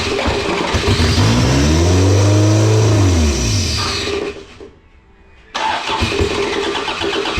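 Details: Race car engine during final race prep cranks long with a rising and falling whir, catches, runs briefly, drops out and restarts. The crew suspect it's still running lean after earlier flooding; it finally ran.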